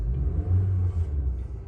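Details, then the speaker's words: 2014 Honda Civic after new ignition coils replaced and P0302 cylinder 2 misfire code cleared: deep, even engine rumble with a brief rev, no stumble; normal running, no limp mode. "we're good to go easy fix all right that's it easy fix uh po 301 302 303 uh all the codes just for uh misfire on the cylinder head"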